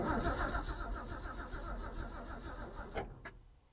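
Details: Ford Falcon not driven since 1991, with a newly fitted aftermarket electric fuel pump of doubtful wiring connection: catches and runs rough for about three seconds, then dies; owner suspects the new fuel pump isn't delivering, not confirmed.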